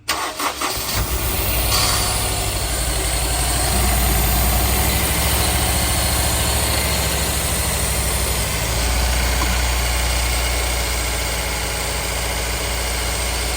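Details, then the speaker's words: Honda S2000 with 200,000 miles, towed in with a rough idle: after the starter hangs up, the idle stumbles in a lumpy beat as if running on three cylinders; the cylinder 2 misfire followed a coil swap, so probably a failed ignition coil. "it's definitely got a misfire Lally it sounds like it's running on three cylinders"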